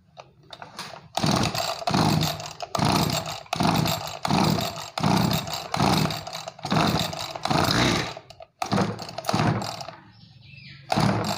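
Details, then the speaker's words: Small two-stroke agricultural sprayer engine that bogged and lacked power on throttle, carburetor cleaned, air/fuel screw being turned: surges and sags unevenly, burbling and fluffy; mixture too rich, screw turned back. "Hai ini terlalu boros kita kembalikan hutan belakang"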